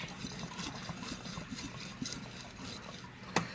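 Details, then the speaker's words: 2000 Saab 9-3 AC compressor: a quiet, rough rasping grind with light ticks as the pulley is turned by hand, the reason the compressor was replaced. "The pulley on this compressor you can hear it grinding a little bit."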